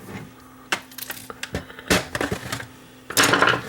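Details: Refurbished Technicolor 4K wireless IPTV cable box that didn't work and rattled out of the box, suspected shipping damage: irregular hard clacks and rattling as it is tipped, from a heatsink loose inside.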